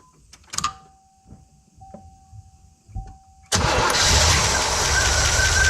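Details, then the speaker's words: Olds 350 V8 in a Cadillac, with a Quadrajet carb and a freshly fitted Edelbrock 2711 no-EGR intake, coolant just refilled. Stone-cold start after sitting all day: quiet clicks, an instant first-crank catch, then a steady, even idle. Starts clean, normally needing repeated pumping. "I cannot believe how quickly and easily it started, considering this car's been sitting here all day and I drained all the coolant out and this thing was stone cold."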